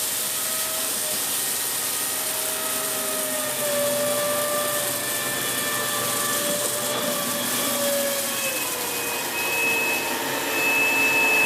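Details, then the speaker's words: Dyson Big Ball Animal (CY23) cylinder vacuum, about 3 months old, roaring with a wavering, pitch-sliding whistle or squeal from air leaking at a hose joint. "You hear that squealing noise again now? That's basically the joint here leaking."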